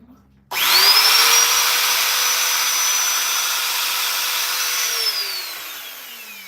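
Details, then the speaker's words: Oreck vacuum with only the fan side running to isolate intense noise; loud steady high whine with harsh rushing roar that falls away as it spins down, from the fan, not the main motor. "Will you look at that? It's not the motor. It's the fan."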